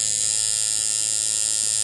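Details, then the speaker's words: Coil tattoo liner machine powered from a switchable 10-turn potentiometer power supply on liner: even high-pitched buzz, steady and clean, no stumbles or rattles; running smoothly, armature bar moving steadily. "To switch the power supply to liner, and when given power, you can hear this running smoothly,"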